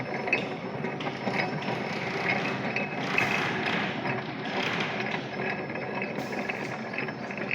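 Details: Rebuilt Fuller gearbox from an Iveco Eurotrakker, turned by hand on the bench through gears: light, even ratcheting click of gears meshing, no grinding or knocks; sounds healthy after rebuild.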